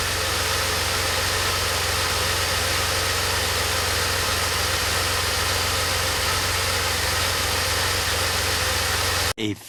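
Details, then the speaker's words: DeLorean, cold start months later after smoke-testing for vacuum leaks: slow uneven lope in steady idle drone; warm it idles about 1700 rpm, cause not found. "Alright, well you heard that idle. It kind of lopes there, and then when it warms up, it idles about 1700 RPM."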